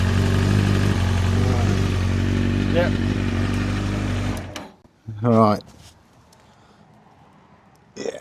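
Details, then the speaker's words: Honda CBR900RR Fireblade inline-four, checked for a fuel leak found at the carbs, at idle: loose tinny clatter over the exhaust beat, then shut off; very rattly worn, slack cam chain. "You hear that? It's a very rattly cam chain. That is very."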